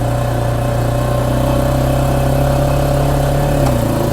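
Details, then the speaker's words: ATV driving: steady low engine drone with a sharp transmission knock/click on acceleration that jerks the machine slightly; cause not confirmed. "I want you to hear that that clicking and That Knocking cuz it does jerk you a little bit"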